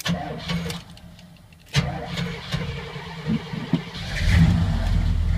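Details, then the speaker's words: 1981 Chevy K10 V8 with Quadrajet carburetor, just fitted with a Mr Gasket heat dissipator and new throttle cable: several seconds of steady cranking with an empty fuel bowl before it catches and picks up; long crank before starting, otherwise fine. "fuel bowl is empty so it'll be a long crank"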